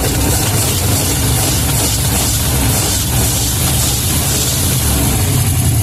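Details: Ski boat 350 Chevy center-bolt V8, sat for unknown time: steady even low rumble, no misses or knocks; smooth clean idle.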